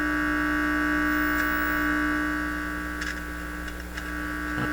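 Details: Heathkit IT-12 signal tracer on checkout, volume turned up with the probe open: steady low mains hum with a faint buzzy edge through the speaker. The amplifier stage is passing signal.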